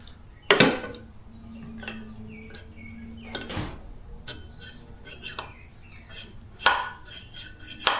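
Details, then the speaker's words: Junkyard LS 5.3 cylinder head during rebuild: a valve inserted dry and slid by hand makes scraping clicks and metallic taps in its guide, versus smooth movement once the stems are oiled. Dry valve stem scraping in guide. "Anyways, uh once the engine runs, it uh probably doesn't affect it, but I'll put one in dry and you can tell the difference."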